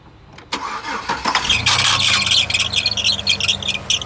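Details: Chevy Silverado cranks, starts, then runs with a harsh rattling chatter at low idle; tensioner had just been replaced and broke, possibly a wrong belt fitted; cause suspected, not confirmed; abnormal noise at start-up.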